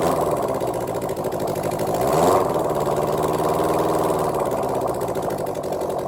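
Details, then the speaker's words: Suzuki GSX750ES being rebuilt, first start without the exhaust system fitted: loud, raw open-pipe bark at a quick even beat, rising briefly with a blip; it sounds like it is running on all four cylinders, normal. "but uh yeah it's actually doing something and sounds like it's running on all four"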